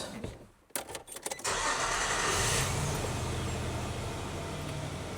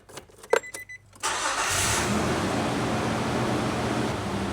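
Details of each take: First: 2003 Nissan Frontier with deferred maintenance, after new distributor cap and rotor; clicks, then engine catches into uneven lumpy shaking idle, cylinder 4 misfire, no other vacuum leaks found, no improvement. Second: 2003 Nissan Frontier, start after extensive repairs of deferred maintenance, some transmission fluid dripping: a few clicks, then engine catches and settles into steady even smooth idle with no knocks or vibration, door no longer shaking.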